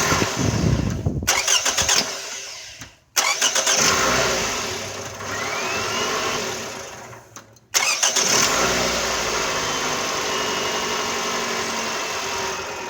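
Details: 2009 Toyota Camry after a no-start fix: battery terminal connections redone, resistance down from about 3 ohms to zero. Starter cranks briefly and the engine catches promptly, settling into a smooth, steady idle. Normal start; the starter was not defective.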